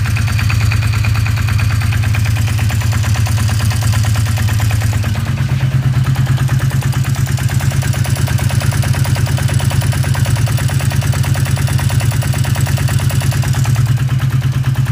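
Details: 1981 Yamaha XS 400 2A2 café racer engine at steady idle: heavy thumping knock about three times a second with a clattery rattle on top; source of the knocking undetermined.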